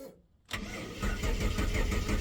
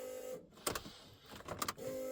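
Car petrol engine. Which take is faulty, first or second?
first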